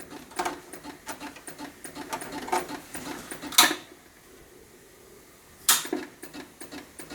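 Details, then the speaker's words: A vintage Macintosh Plus after a recap, with an 800K floppy in the drive, chimes and is reset. Irregular dry clicking and ticking bursts about every two seconds, with no steady spin-up, and no boot. Owner suspects motherboard faults, a bad floppy drive, or two unreplaced capacitors. "this computer might also have motherboard problems as well that could be uh preventing it from working and the floppy drive could be bad as well"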